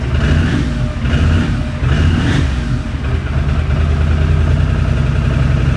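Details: 2006 Can-Am Outlander Max 500 ATV first start after a bad battery (no ECM communication) was replaced with a new 12 V AGM battery: single-cylinder engine thumps at a steady idle with a couple of light blips, no knocks or misses; healthy normal running.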